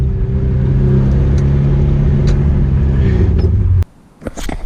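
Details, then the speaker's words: 1986 Nissan 720 pickup with a new Doug Thorley tri-tube header and no downpipe or muffler, driven at low speed to the exhaust shop: loud, raw, deep steady drone, an open header exhaust. "It's like sitting right next to a P51, but way nastier. This is way worse than that one time I drove the 4-wheel drive for 2 months without a downpipe."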